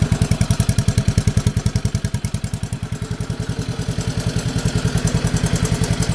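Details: Honda 185S three-wheeler after a recoil spring repair and an oil change that quieted a loud engine tap: steady, even thumping at slow idle with no loud tapping on top. Normal idle.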